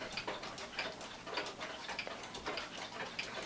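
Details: One-day cuckoo clock (owl and grapes) with rack and snail striking. Crisp, even tick-tock at about one and a half beats per second in a quiet room: the movement is running healthy.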